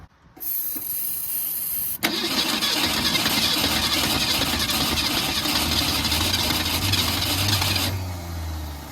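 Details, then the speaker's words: 1964 Ford Falcon wagon that sat 46 years, after replacing the original starter with a new one, before adding fuel: engine spins quickly and evenly for about six seconds with no dragging; normal fast cranking. "Wow, that's insane. That's a huge difference."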